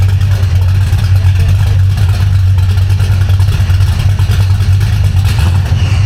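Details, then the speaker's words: V8 car with a B451 cam and fresh Spintech mufflers with turndowns after driveshaft damage; still warming up. Deep, lopey cam idle with throttle blips and even firing, no knocks. Normal idle and revs. "so this is the b451 cam that damn sounds a lot like the 65"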